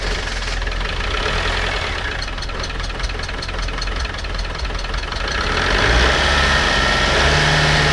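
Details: Land Rover Discovery 300Tdi diesel bought at a Copart salvage auction, running after a jump start, with oil above maximum. Steady clatter at idle that picks up cleanly when revved, even, no odd knocks: sounds healthy.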